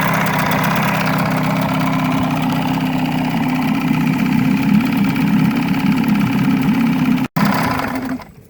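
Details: Evinrude 35hp outboard, model E35ECIG, with a faulty neutral safety switch. Steady buzzing idle with an even beat that dies away at the end; running fine.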